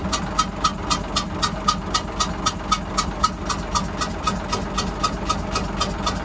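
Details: Hyundai 6D16 diesel in a boat with a sudden hissing noise, restarted and blowing lots of air. A sharp hissing tick, about four a second, is locked to engine speed at idle: compression escaping, cause not yet confirmed.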